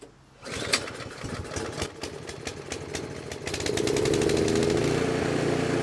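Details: 24-inch snowblower that sat two years, after carburetor cleaning: sputters and pops on firing, then settles into a steady, even small-engine idle; running normally.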